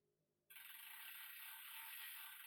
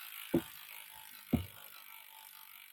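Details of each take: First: Bicycle (Trek or Planet X) with skipping gears, checked on the stand: a fast, even freewheel buzz as the cranks turn past the bottom bracket, with no grinding or knocking; the drivetrain sounds healthy. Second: Bicycle (Trek or Planet X) pedalled on a stand with gears skipping: a few sharp, irregular clicks about a second apart from the rear derailleur, set too high; off indexing or a cable issue suspected.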